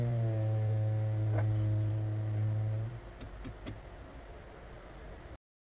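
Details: Vauxhall Insignia 2.0 diesel (A20DTH): loud low droning moan around 100 Hz holding steady for three seconds then cutting out, causing vibration; wastegate vacuum drone, fixed by fitting a vacuum reservoir inline with the wastegate actuator solenoid valve.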